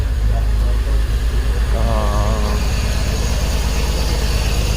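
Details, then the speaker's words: 2004 BMW X3 3.0L six, cylinder 1 misfire (P0301); coils 1 and 3 swapped and misfire moved to cylinder 3: rough, uneven idle with a stumbling low thump about three times a second; faulty ignition coil. "see running values oh look at that we moov to three so there needs a coil"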